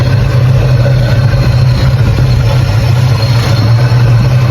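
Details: 1984 Holden VK Commodore while checking ignition timing before paint: loud, even idle with steady deep hum, no stumble or miss; normal idle, timing judged about right.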